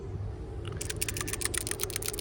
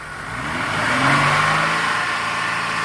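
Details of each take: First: Truck PCV valve, removed from the valve cover, shaken by hand: light, dry ticking rattle of quick clicks as the loose check ball moves freely; passes the rattle test. Crankcase flow at the oil cap felt neither sucking nor blowing. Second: Engine revved to about 3,500 rpm while the EGR solenoid is grounded, opening it fully so exhaust gas is drawn into the intake; at idle the same test stalled it. The steady high rev sags and settles noticeably lower.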